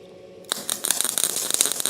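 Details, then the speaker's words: Welding arc on a shop repair, spitting and popping with an irregular crackle instead of a steady sizzle; the welder says it acts like a bad ground. Voltage is increased next. Erratic arc, suspected poor ground, not confirmed. "I can't believe this is going so bad. It acts like it isn't good ground."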